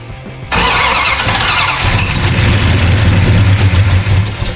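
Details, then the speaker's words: 1969 Dodge Charger General Lee restoration, freshly installed engine, first start on gas poured into the carburetor: sudden catch then loud ragged rumble with uneven firing, running briefly; first start on carburetor prime. "Woo-hoo! Ladies and gentlemen, that was the first start, kind of the generallee."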